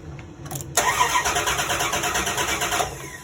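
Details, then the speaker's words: 1998 Dodge Dakota 3.9L that would not start after a heater core job: the starter cranks about two seconds with no firing. Spark and injector pulse are present but there is no fuel pressure, so the fuel pump and relay are next to check. "so there you go so now we've checked fuel pressure and we've checked an injector pulse and we check spark so far no fuel pressure"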